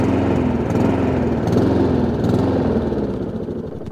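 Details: Honda IZY lawnmower after carburetor work for a fuel leak, now starting on choke: uneven, lumpy beat that sags away toward the end, hunting; owner knows it's fuel, carburetor later ultrasonically cleaned.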